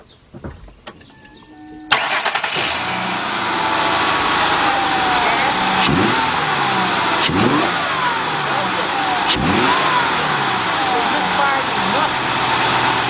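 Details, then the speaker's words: 2002 Mercury Sable 3.0 after ignition coil replacement (complaint was hesitation on first throttle): engine cranks, catches quickly and settles into a steady, even idle with no stumble or misfire; normal start and idle. "that is perfect great all right we'll be right back"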